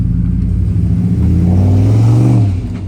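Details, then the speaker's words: V8 truck with a replacement engine and stage 3 cam, after swapping two plug wires, no misfire showing but tune still off; deep rumble swells smoothly on throttle blips and drops back evenly; normal revving. "Now it just sounds like the tune is out, which is good. But when I rev it, it does sound good. So that is a good start."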